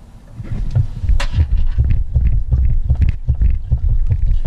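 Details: Honda B18B1 turbo EF hatch, phone on top of the front tire as the car is rocked by hand: irregular dull low thuds, about two or three a second; clunk suspected from a loose front suspension bolt, checked by torquing axle, control arm and caliper bolts.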